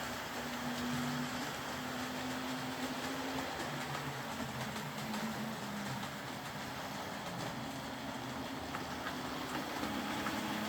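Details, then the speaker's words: Old Hornby R751 Class 37 model locomotive after repair, wheels cleaned of corrosion with a rotary tool and brass brush, body refitted, on track: quiet, steady motor hum with smooth wheel hiss on track, no grinding or stutter; normal running. "It's always very satisfying getting one of these running again and running well. My own one was my favourite locomotive on my lathe when I was a little boy, but it never ran anything like as quietly and smoothly as I can get them to run nowadays."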